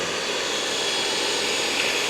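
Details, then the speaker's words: EcoVacs Deebot X9 Pro Omni robot vacuum on loose carpet, carpet boost kicking in: steady high airy rush, louder and stronger suction, no rattles or pulsing; normal boosted carpet suction (boost is an optional setting). "See how that's a bit louder? And so the vacuum is going stronger now for the carpet."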